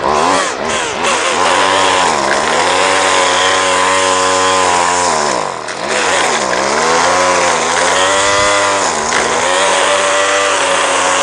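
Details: Two-stroke line trimmer after repair and readjustment of the carburetor's high and low mixture screws, cutting grass: a high buzz dips and recovers cleanly under load with no stumbling. Runs fine.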